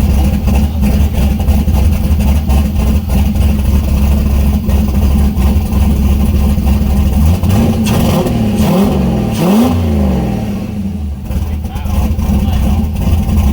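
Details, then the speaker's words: Turbo LS-swapped Mazda Miata with new open downpipe and no O2 sensor bung yet: loud, deep exhaust drone with uneven lope and a rev blip, smoking; running rough without oxygen sensor. "uh obviously there's I still have to drill uh a hole and put a bung in for the O2 sensor so it's not very happy right now but it's not bad"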